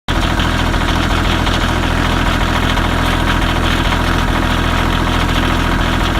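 Cold diesel idling with a lumpy, stumbling beat and periodic dropouts about three times a second; sounds like a cold-start misfire.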